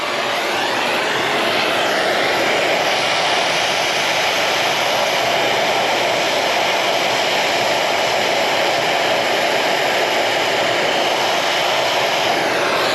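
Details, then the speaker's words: Carrier AC condenser running after replacing a grounded compressor that tripped the breaker: steady even whoosh of fan and compressor with no knocks, rattles or surging; normal running after repair. "That's how it supposed to sound, huh? That's how I like it."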